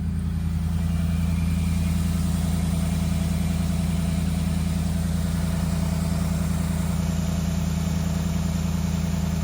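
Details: 2014 Ford F150 V8 after replacing the intermediate steering shaft. Deep, smooth and even burble holding steady with no ticks or knocks; a healthy idle.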